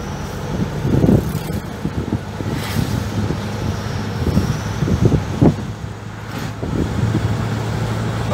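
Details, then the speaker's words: 2006 Toyota Hilux with a fully repaired 1KD-FTV diesel engine, previously seized, on a road test under light throttle: an even drone amid road and traffic noise, no knocks or rattles, plus a small turbo noise. The engine sounds healthy. "Mas ficou muito bom o som do motor, pegando bem o carro."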